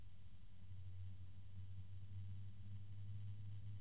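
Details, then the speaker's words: Cooljag Everflow FB14025SL fan (EBR bearing, 3-pin) in a glued frame, mic close: quiet start and a smooth, steady deep tone with no ticking, rattle or wavering. The bearing and motor sound healthy. "uh just got to be careful and it's a nice quiet start a nice deep tone coming out of this"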